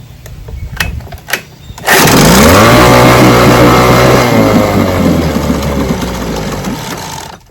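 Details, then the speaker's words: Johnson 9.5 HP vintage outboard test motor with customer's carburetor, gas sprayed up the throat: fires, revs briefly, then sags and dies; won't keep running because fuel isn't getting through, carburetor needs cleaning. "Well, it starts, but it dies. I don't know. What do you think? I got to clean the carburetor. Oh, he's right. I got to clean the carburetor. It starts when I th spray up the throat, but it won't keep running. So, the fuel is not getting through the carburetor."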